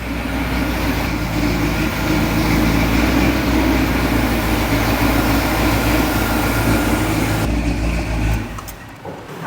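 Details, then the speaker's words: 1978 Jeep J10 Honcho V8, sat about 20 years, first run on its carburetor: loud, lumpy, wavering running then dropping away, won't hold idle; weak throttle and accelerator-pump springs found, vacuum leak questioned. "That's why I won't idle, Alex. Vacuum leak?"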